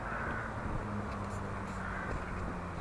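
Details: Squeaky skateboard truck in turns: raspy, creaking squeak each time the truck is flexed, from the dry, unlubricated pivot; before disassembly and lubrication.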